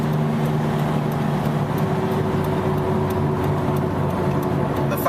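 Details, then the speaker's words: Vehicle driving; steady low hum and drone that worsens with speed and when weight loads the left side, decreasing when turning left. Worn left-side wheel bearing whir. "you go generally the worst that worrying noise will get and as soon as I start to turn to the left the noise will decrease"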